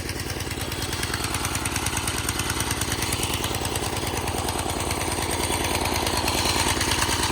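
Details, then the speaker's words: 1987 Craftsman tiller that sat 20+ years, first cold start with the choke on and no ether: the single cylinder chugs with uneven, loping beats and skipped fires, eight-stroking cold and rich; owner is 99% sure the carb jet is too big. "It's currently an 8-stroke because it's cold and it's a little rich, because I'm 99% sure the jet inside the carb is just too big."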